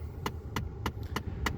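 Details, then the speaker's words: 2011 Ford F-150 blend door actuator clicking from behind the dash, sharp and even about every 0.3 s with temperature set fully cold; its potentiometer cannot reach the end limit; fixed by replacing the actuator. "as you see the problem is when you turn the temperature all the way cold you hear a lot of clicking"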